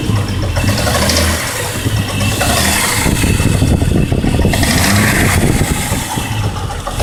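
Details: Jeep Grand Cherokee WJ 4.0 inline-six, running: irregular clacking from the engine bay riding over idle and revs; source not pinned down.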